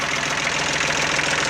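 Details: Jinma small tractor diesel, long weathered and hydrolocked by rain water entering the cylinders through a rotted exhaust pipe, now revived: steady, even diesel clatter at idle with a regular beat and no misses. It starts and runs well.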